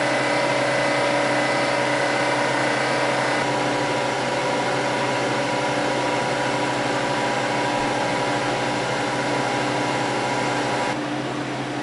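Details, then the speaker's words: Freeze dryer 3.5 hours into an ice cream sandwich batch, chamber fluctuating about −20 to −10, compressor just kicked on: steady low constant hum with no knocking or rattles; normal compressor running. "It's at minus 13, 12, 10, and the compressor just kicked on."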